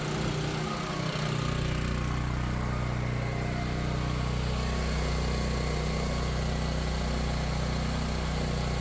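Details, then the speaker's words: Power Stroke 6000 W 389cc petrol generator, 76 hours, after carburetor clean and fuel filter replacement, powering a big fan: smooth steady low hum with even beat, no surging or misses; normal running under load. "right so there you go uh works fine turns on that big fan no problem"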